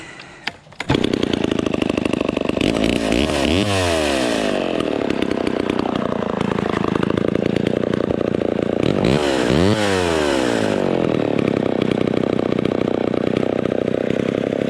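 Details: Vintage Homelite Super XL Automatic (XL12) chainsaw after full tune-up (cleaning, points, ignition, fuel, carburetor, clutch bearing, bar and chain), warming up: loud, steady two-stroke buzz with smooth throttle swells, no misses or sputtering; runs healthy.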